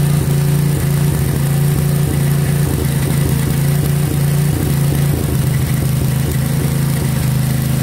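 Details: 1963 MTD Lawn Flite lawn tractor after ignition rebuild, under mowing load: small single drones steadily at high, even revs; running too fast, owner says throttle and governor aren't quite right, had to throttle all the way down.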